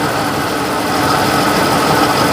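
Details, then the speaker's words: 1956 Chevrolet Bel Air six-cylinder: lumpy, uneven loping idle, sounding like it runs on five cylinders; water-spray header test showed two cylinders not burning off, two dead cylinders. "It definitely sounds like it's running on 5 cylinders."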